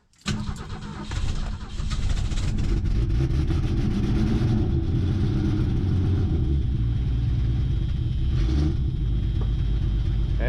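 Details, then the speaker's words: Mercury Comet barn find after fuel line work, cold start at 37°F, fuel poured down the vent tube and choked: rough, uneven firing for a second or two, then catches and settles into a rumbling idle. "it hasn't quite picked up gas yet I'm going to give it uh a little bit too much try to get down the vent tube hear that thing choke it down all right see what we can do here"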